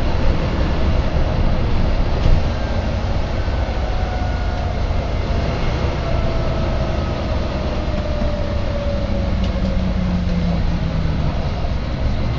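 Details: Volvo B9TL / Wright Eclipse Gemini 2 bus, First West Yorkshire 36257 (BG12 YJO), Leeds service 6, March 2013: under the low diesel drone, a steady hum slides in pitch as the bus changes speed; source unclear.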